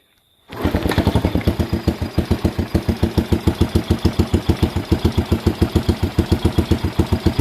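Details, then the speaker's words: Healthy idle on a freshly rebuilt Postie Bike motor, first-time assembly: starts at once, settles into an even, steady thump of a few beats per second, no rattles, ticks or unwanted noises; idle can be set faster. "and yeah, I can make it idle faster, but it's a new motor. You hear that? The motor's sweet as. No rattles, no unwanted noises."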